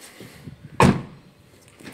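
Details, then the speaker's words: Nissan Qashqai rear door after repair: clean, solid thud with no rattle; the earlier rattle came from loose window mechanism bolts, refastened with thread locker. "αν ακούγεται η διαφορά με το βίντεο το προηγούμενο δεν υπάρχει τριγμός"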